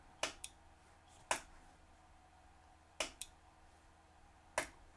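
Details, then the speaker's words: Omron H3CA timer after resoldering bad solder connections and the ceramic oscillator, set to 0.2 second: sharp, dry clicks about a second apart in a quiet room; output relay switching properly. "Let's move this down to 0.2 of a second. See if we can hear the click. And yes, I do hear the click."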